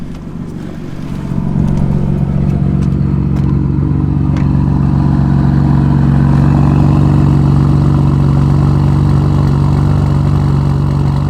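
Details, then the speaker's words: BMW M4 after new coil packs fitted to chase a misfire (spark plugs recently replaced, stock tune suspected if it persists): after a few clicks the engine catches and idles steadily with no misfire or stumble; fix not yet confirmed. "Not misfiring, but again, like I said, this is hit or miss, so I really do not know if this is going to fix it. I know as of right now though, that's good."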